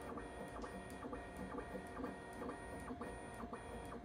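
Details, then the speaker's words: Bambu Lab P1S 3D printer after lubricating the Z-axis belts underneath: the bed steps through its travel with soft, even motor whirs and faint clicks. The earlier squeak at certain Z heights is gone. "I would get it basically on these next two steps like really loudly but now I have nothing"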